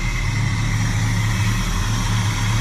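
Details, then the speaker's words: 1987 Chevrolet El Camino SS V8 with Edelbrock 4406 carburetor, faulty accelerator pump, old gas, started with starter fluid: steady, even low idle with no ticking or knocks, smooth and consistent; engine healthy. "she sounds really good under there. There's no tacking, no strange noises, just smooth as silk."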